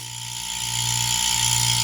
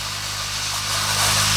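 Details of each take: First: Refrigeration compressor running with suction pulling and discharge tube blocked by hand; steady hum with rising hiss, pressure can be held back: some pressure but not enough, low compression. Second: New inverter refrigeration compressor on an inverter tester at maximum speed, discharge tube blocked by hand; steady hum with loud rising hiss, pressure too strong to hold and leaking past: good compression.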